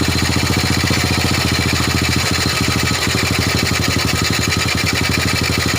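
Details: Old Honda Supra single-cylinder motorbike being checked for a compression leak traced to a valve (valve gap checked OK), started after an oil refill: steady, evenly spaced exhaust pulses with no misses; idles cleanly.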